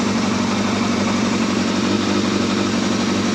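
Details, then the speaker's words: Yamaha Thundercat motorcycle, reassembled after strip-down, first start on choke: smooth, even idle with a quick, steady beat, no knocks, ticks or leaks; normal healthy idle. "That actually sounds really nice, that."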